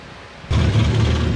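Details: 2023 Yamaha 1800 cc supercharged jet ski after a throttle-error fix (shorted part replaced, ETV relay/throttle checked): engine catches abruptly and settles into a deep, steady, even rumble, no misses; starts clean with no trouble code.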